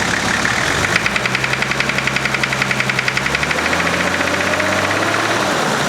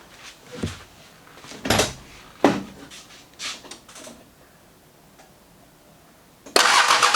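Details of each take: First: thank you to what it sounds like now that engine knock injector knot whatever it is gone Second: Nissan GQ Patrol diesel after fixing its engine or injector knock: it cranks briefly, catches at once and settles into an even, knock-free idle.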